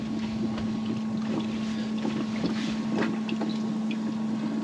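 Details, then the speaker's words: Bailey motorhome fresh water system, submersible pump priming with taps closed: steady low hum at one even pitch under wind and splashing, no surging or rattle; pump running normally. "So there's the pump, and we're going to prime her up. So you can hear the pump, submersible pump. The submersible pump, and we're going to get that."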